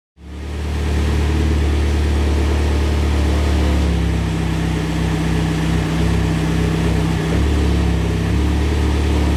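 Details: Mitsubishi Evo X 600bhp build, cold start after engine rebuild and turbo fit: settles into loping, uneven idle with low rumble, lumpy due to high-lift cams and dual valve springs, which the owner says is normal.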